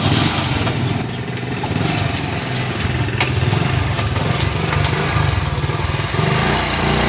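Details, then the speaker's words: Motorcycle under load: steady slightly uneven chugging with puffy edge, noise from piston and head cylinder and blow-by; head gasket leak, head opened for cleaning and repair. "तो आपने इस बाइक का आवाज़ भी सुना है, कैसे ये आवाज़ कर रही थी हेड सिलेंडर में, और साथ ही साथ बिलो भी मार रही थी।"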